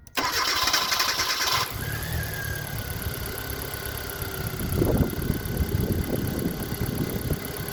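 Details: Car that cranked but wouldn't start, after replacing a blown 10 A injector fuse: brief starter whir for about 1.5 seconds, then catches and settles into a steady even idle; healthy start.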